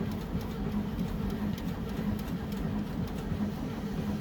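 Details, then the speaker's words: 1974 VW Beetle with a freshly installed 1641cc engine, fuel pump fed from a gas can, a little gas poured down the carburetor, timing not yet set exactly: steady rhythmic cranking, about 1.5 beats a second, with no firing; cranks, no start. "okay i did pour a little bit of gas down the carburetor just to give it something to try and light off with all right nothing yet"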